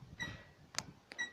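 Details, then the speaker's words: Kia Rio JB: two short high squeaks near 2 kHz with sharp clicks between as the brake pedal is released, from the rear drum brake shoes; fixed by applying anti-squeal brake grease. "Давай еще поскрепи вот так скрипят тормозные барабаны на Kia Rio"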